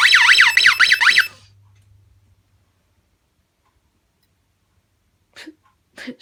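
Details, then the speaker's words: Scantronic 9448+ intruder alarm set with no entry delay: movement past the PIR instantly triggers a warbling siren that sounds briefly then stops, working as intended; the Ventcroft strobe's tube is burned out. "Now if I move, it's not on entry delay, so if I move, it'll instantly go off. As you can see."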